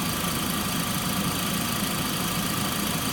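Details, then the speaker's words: Engine idling, heard through a mechanic's stethoscope moved from the A/C compressor to the water pump to the alternator: faint constant high whine located at the alternator pulley, always heard under load. "But if you said alternator, you're correct. So the alternator pulley is where the whine is, and I always hear it under a load."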